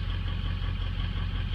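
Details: 2003 Ford Excursion diesel, 192,000 miles, warm day start after injector chatter stopped: deep idle with uneven, lumpy low thumps; balance readings show cylinders 1, 3, 5, 7 weak versus 2, 4, 6, 8, tired injectors, fuel restriction and pressure still to check.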